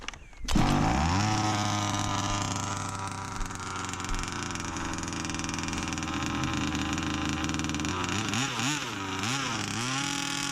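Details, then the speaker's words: Rebuilt 29cc two-stroke engine in a Baja 5B RC car with new clutch shoe, run on ice in freezing weather: crisp buzz rises cleanly under throttle and holds a steady high note; strong, healthy running. "Car is pulling nice. [Music] Oh, it's got some punch, man."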